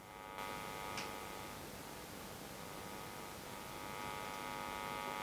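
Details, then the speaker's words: Steady buzzy mains hum as the output transformer of a Bassman Micro tube amp build is moved near the AC power cord and filament heater wires; the hum disappears when it is moved away. "to the power cord a lot of hum move it away"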